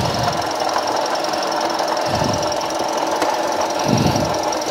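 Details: Toyota Vios idling after alternator bearing replaced, still noisy: steady high hiss and faint whirring over a rough clatter; water pump bearing suspected, not confirmed.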